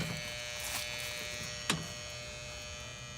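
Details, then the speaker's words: Worn three-pole contactor on a single-phase condenser unit (possibly Weather King) chattering as it pulls in and out with 24 volts at the coil: a harsh steady buzz with a sharp snap. The contactor needs replacing. "you can hear the contact pulling in and out now i made it buzz but it looks like it's gonna have to be replaced anyway"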